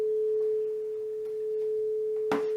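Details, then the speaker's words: Powered computer speakers after soldering repair of a dead right channel: clean, steady mid-pitched test tone from an iPad tone generator with no crackle or dropout, now coming from both left and right speakers; repair successful. "we got a tone going you can feel it on the left one we can feel it on the right one"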